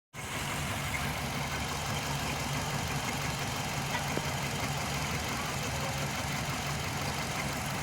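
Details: 2005 Hyundai Matrix with intermittent check engine light and code P0302: the idle is busy with a faint uneven stumble from a cylinder 2 misfire. Plugs 2 and 4 read white, the injector was checked, and correcting the injection fixed it.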